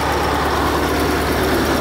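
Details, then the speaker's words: Truck V8 diesel (the 143) after water entered the engine, restarted with fresh oil after sitting and warming up: steady even idle, low rumble, no knocks or misses; oil pressure correct; normal idle. "vamos deixar ele dar uma esquentada deixa ele dar uma esquentada né A princípio tá certo é só porque ele ficou parado"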